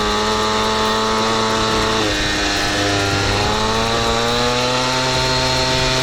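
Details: Piaggio Ciao moped, otherwise stock, with Polini Evolution, 75cc Pinasco cylinder and 19mm carburettor, on a test ride: a high buzzing two-stroke dips, then climbs and flares at high revs without settling; the drive belt is slipping.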